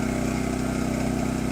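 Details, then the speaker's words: New Champion 200961 2500-watt dual-fuel inverter generator on propane just after a choked cold start: smooth, even low idle hum with a steady pulse, no surging or misfiring; owner thought it slightly high but normal. "So, apparently this eco mode light button is a button, and you can force it into not eco mode, so it is idle right now. Sounds a little high to me, but that sounds like normal operation after I listen to it for a little bit"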